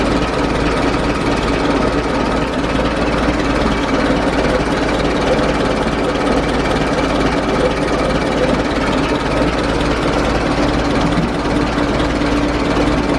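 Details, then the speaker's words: Replacement USA engine fan on a 1920s vintage Dodge tourer, belt adjusted not too tight, engine running: even steady note with a soft regular beat, no ticking or scraping, and the fan strikes neither the radiator nor the fan belt; normal running. "well that all appears to be working so the fan's not hitting the radiator it's not hitting the uh the fan belt"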